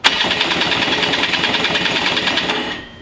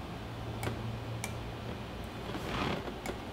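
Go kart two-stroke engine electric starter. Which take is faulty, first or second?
second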